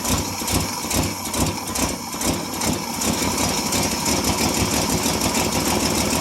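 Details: 1957 International S120 4x4 pickup six, cold start after about four years sitting, fuel poured into carburettor: settles into a loose, slightly lumpy idle on its own; no knocks, just an old motor idling.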